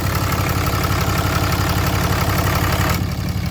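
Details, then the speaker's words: 2012 Ram 2500 6.7 Cummins diesel after alternator replacement: even, low diesel clatter at steady idle with no squeal or knock; the previous whining noise is gone. "Oh yeah, it ain't got the whining noise or anything anymore, so we done what we were supposed to do, y'all."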